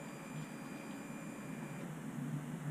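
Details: Royal Enfield Himalayan, key on in neutral, after fixing a starter motor that shorted out all power: a faint high whirr over a quiet hum for about two seconds, then it stops; normal fuel pump priming.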